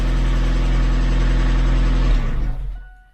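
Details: 2007 Kia Cerato that would not start, after the faulty immobilizer unit was replaced and the new key used: steady, even engine hum with no misses or knocks for two seconds, then a clean shutdown; runs fine.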